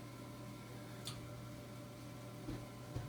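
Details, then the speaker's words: Furnace inducer fan after clearing water from it (fault showed 3 red blinking lights, weird fan noise, no heat), power restored: steady low hum with faint knocks and a little water trickle, much reduced; normal running before burner lights. "so it sounds like it's running now. Got the power back on. I did still hear a little bit of that water in there like I've been hearing before, but it's not near as bad."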